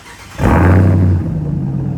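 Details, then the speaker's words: Jeep Trackhawk V8 first start in about two months after a blown transmission was replaced with a brand-new one: starter whirr, then a deep even rumble settling smoothly into steady idle; healthy start. "so first time hearing a truck crank up up in sh been like a month or two man"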